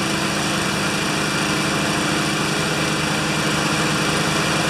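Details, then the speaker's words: Older Briggs & Stratton mower engine with an intermittent spark, started at 3/4 throttle: an even, steady single-cylinder drone with no misses or stumbles. Finding: normal running. "Okay, so now turn it on, 3/4 throttle. It should just start. It might be 2 pulls because I had it sitting in an angle."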